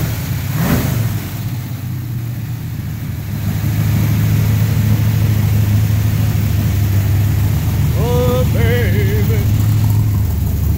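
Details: 1970 Chevrolet Nova former drag race car, V8 started off a jump pack; deep, lumpy V8 rumble holding steady and swelling cleanly on throttle blips, no knocks or misses; healthy running and revving.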